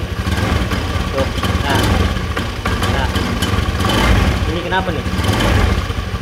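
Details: Honda Beat FI scooter previously dead with lost ignition (suspected ignition switch, kiprok regulator or corroded/broken wiring): it catches and settles into a steady low putter with a few blips; starts and idles normally.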